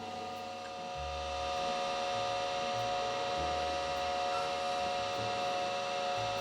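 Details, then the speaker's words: Datavue Snap 1+1 portable MS-DOS computer whose hard drive was gently twisted to free it. There is a thin whine and irregular soft head thumps as it tries to spin up, but it does not boot. "definitely sounds like it's trying to spin up it doesn't look like the laptop's doing anything though huh"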